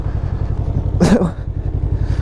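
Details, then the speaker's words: 2019 Can-Am Ryker 600 after an exhaust leak repair replacing missing gasket material: even, quick exhaust pulses at idle, crisp with no ticking or hissing leak, sounding sealed and healthy. "so Riker little 600 sure are fun does that sound a little better how about a whole lot better"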